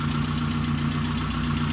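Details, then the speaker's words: 1988 Saab 900 Turbo, long unused, just restarted and idling on its own: steady idle with a light, quick ticking from the top of the engine; owner suspects lifter tick, fluids unchecked, cause unconfirmed. "but i think this is lifter tick and i really should check the fluids as well but yeah that does not sound too good it's definitely coming from up here though"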